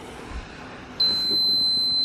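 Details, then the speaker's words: Giandel 1200W inverter powered from a Rav4 Prime, charging a motorcycle battery with a USB cooling fan: short quiet spell, then steady piercing high beep; overload alarm persisting after restart, owner thinks inverter is broken, not overheated. "Let's turn it on. Okay, it's saying overload."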